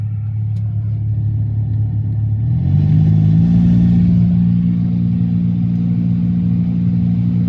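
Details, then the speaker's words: BMW 5 Series F10 550i V8 turbo, ignition on, blower running: a low steady hum that steps up in pitch after a couple of seconds, then holds even; owner suspects the interior blower fan (pulseur d'air). "alors on va essayer de mettre un petit contact écoute bien tu entends le ronronnement"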